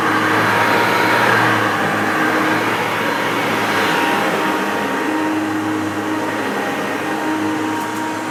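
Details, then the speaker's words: Maytag U5131 upright vacuum on carpet: steady motor roar with a thin, constant, unchanging squeal; owner thinks the belt needs replacing and is causing it. "I could hear that squeaking, and like I say, I think it's going to need a new belt. I think that's what's causing that."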